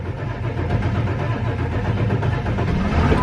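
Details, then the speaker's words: A 1999 Ford F350 with a 7.3L Powerstroke diesel cranks slowly and steadily for about 15–20 seconds at about 52°F before starting; glow plugs were ruled out. The hard start was cured by a Melling high-volume oil pump. "So, I would say, I'll look at the footage, but I would say that was an honest 15, 20 seconds of cranking on it."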